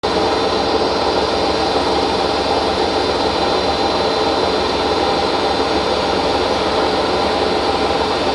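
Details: Hotpoint First Edition washer spinning at 1200 rpm: loud, steady roar with a gritty rumble through the whole spin; worn drum bearings.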